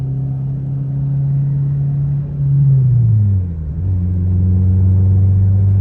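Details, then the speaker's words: 1996 Honda Civic hatchback on test drive: heavy booming low drone swelling as revs rise and fall under load, exhaust hitting the frame and vibrating; loud exhaust drone needing repair. "yeah that's the exhaust hitting the frame too vibrates pretty good not sure exactly who can drive something that sounds obnoxious"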